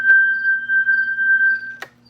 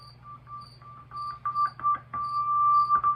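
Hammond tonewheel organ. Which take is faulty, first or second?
second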